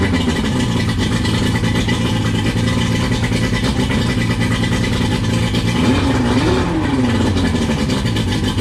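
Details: 1999 Johnson 115 two-stroke outboard on a 1999 Wellcraft 190 CCF, cold start after a week unused: steady busy fast idle with brief rev-up and settle, running cleanly.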